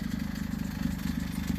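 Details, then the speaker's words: Honda CR-V idling: a quick, even puffing pulse from an exhaust leak after the cat, where the pipe to the muffler has separated at the flange and the three bolts are rotted. A belt or tensioner squeak is also present. "Besides the belt noise or the belt tensioner noise that's squeaking right now, your exhaust stick is right here after the cat. See the pipe separated?"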